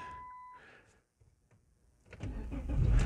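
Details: Chrysler/Dodge (300, Charger, Magnum or Challenger) with extended crank time: warning chime ends, short silence, then the engine cranks and catches; not the starter, a PCM fault (code P0607) suspected, also harsh shifting.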